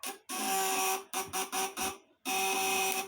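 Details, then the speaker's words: 200 W vibrator inverter (platina contacts) tested under lamp load: harsh high buzz in short stop-start bursts, cutting in and out; the contact setting is still too loose. "masih kendur ya setelan anak serta orang-orang"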